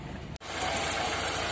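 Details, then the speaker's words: Toyota Corolla Twincam, started after four days sitting, at idle: fluttery buzzing vibration over the engine; a pinched, brittle hose collapsing because the PCV valve is faulty. "jadi ternyata suaranya tuh asalnya dari sini om tasya ternyata selangit kejepit"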